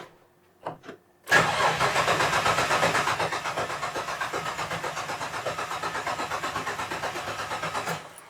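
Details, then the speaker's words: 1967 Ford Anglia 105E with Mitsubishi Galant VR4 6A13TT twin-turbo engine, after a burnt coilpack connector and a new wire run: starter cranks evenly about four turns a second for seven seconds, never catches; no crank sensor signal despite continuity everywhere. "we still do not have a crank sensor signal still no trigger one so i've probed everything again everything has continuity"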